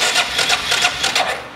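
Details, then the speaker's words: 2006 Arctic Cat 400 ATV that suddenly lost spark, a recurring fault on these; after fitting the updated flywheel rotor, cranking with the plug out gives crisp, regular snapping ticks about five a second. Spark is restored where there was none before. "oh yeah baby we got spark we didn't have spark beforehand"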